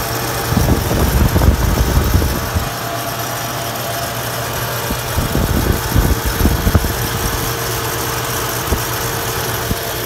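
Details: 3rd-generation Toyota 4Runner idling: steady whine with irregular bursts of rattling, started right after an oil change; cause unknown.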